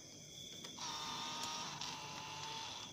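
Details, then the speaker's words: Yamaha TZM 150 power valve servo with a new alloy pulley, cycled at key-on. A steady high whir for about two seconds, then a clean cutoff as the servo sweeps toward open, though the cable reportedly still needed adjusting to open fully. "Kita start kunci. Nampak? Dia akan kembali ke tempat servo open."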